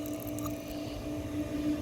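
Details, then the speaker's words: Ditch irrigation pump being primed via garden hose and foot valve, valve cracked open to purge air: steady pump hum swelling louder as trapped air purges and casing fills; air-bound pump not yet primed. "You can hear the pump's getting a little bit louder and louder. It's got some air trapped in it, and in just a second it's going to go."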